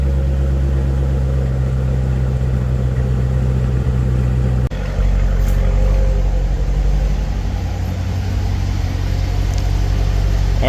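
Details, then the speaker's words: 2015 Corvette Stingray C7 V8 after broken rocker arm repair, first start: smooth, even idle with a steady low rumble and no ticking or knocking; running normally. "sounds good I don't hear any knocking from under here engine sounding nice and smooth"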